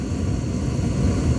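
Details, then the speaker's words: Gas furnace that had been cycling off after cleaning its flame sensor: steady, even low burner roar with no dropout or sputter, flame staying lit past the usual 5-10 second shutoff, running normally. "it usually shut off in about five or ten seconds it's still going so that's a good sound"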